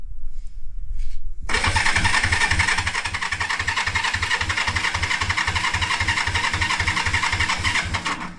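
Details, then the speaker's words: 1973 Honda CB350G, unrun for 10 years, new battery, in neutral, choke on, carb bowl leaking: the starter churns at about three and a half pulses a second but never fires; no spark, points cleaned. "Alright, I gotta check if it's getting spark. Yeah, so I wasn't getting any spark on the plugs, so I went in and cleaned up the points a bit."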